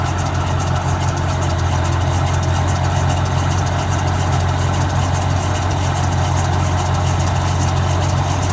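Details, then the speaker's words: 2001 Chevy Duramax diesel at 20°F, plugged in overnight (16°F low) and unplugged before starting; smooth, even low idle with steady clatter and no misses or rough patches. Normal cold start idle. "Pretty good results. When I turn the key over, there's no wait to"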